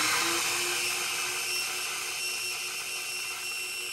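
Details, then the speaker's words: Badly ported Subaru cylinder head on a flow bench at about 0.350 in (around 9 mm) valve lift: a steady, high hiss of rushing air with a choppy flutter as the port airflow goes turbulent. "so the air goes turbulent and it makes a certain noise when it goes turbulent and I just wanted you guys to listen to it it's going to sound very very choppy"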